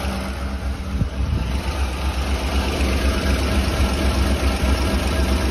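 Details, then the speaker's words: Rough, chugging idle with uneven puffing about four times a second. There is a severe misfire that is worse when cold, and it bucks in gear. A bad exhaust leak at the manifold flange on one side is felt blowing on the hand, and the exhaust smells terrible. "the exhaust smells terrible and the one thing that I immediately hear is an exhaust leak on this side that's pretty bad"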